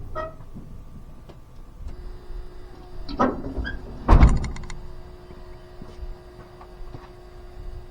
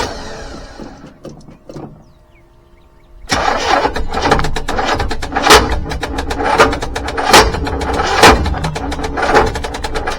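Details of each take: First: 1985 GMC C25 with 454 7.4L V8 and Turbo 400; newly installed electric fuel pump, key on; faint steady electric hum with a couple of clunks; pressure reaches 4.5 and rising; normal fuel pump priming. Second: 1985 GMC C25, 454 7.4L V8, Turbo 400, with fuel delivery problems (failed electric fuel pump): labored, uneven cranking without starting until the battery dies.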